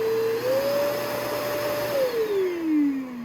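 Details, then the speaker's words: Kenmore Progressive canister vacuum motor: whine climbs, holds, then sags well down in pitch with a rough undertone; sounds unhealthy, and these motors reportedly fail often. "motor like that does not sound healthy bro like my shark that thing sounds like and it sounds better than this so please don't buy these"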